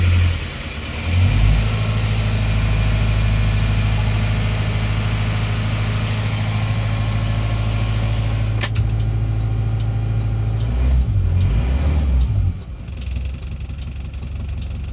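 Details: Isuzu Panther diesel after repairing a leaking exhaust valve on cylinder 4 (15 bar compression): catches after a short crank and holds a steady, even idle as throttle is released; runs evenly.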